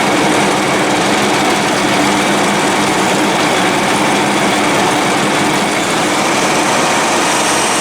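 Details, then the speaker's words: 72-inch Dixon mower engine running loud and uneven, intermittently not firing on all cylinders, sometimes better after restart; owner suspects an ignition coil and plans to replace one. "so motor's not hitting on all cylinders sometimes i shut it on and off it hit better"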